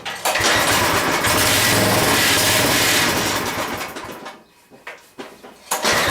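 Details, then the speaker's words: Craftsman 5 hp 14-inch rear-tine tiller, first run after carburetor cleaning: runs steady but never climbs to full speed, sagging and surging; the idle control cable is suspected of needing adjusting for more fuel, and a bad diaphragm/fuel pump was the eventual issue. "That's as fast as it wants to run up. I think it's, I'm going to have to adjust this, the cable for the idle control."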